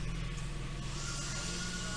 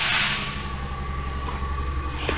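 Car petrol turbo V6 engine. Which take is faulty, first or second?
second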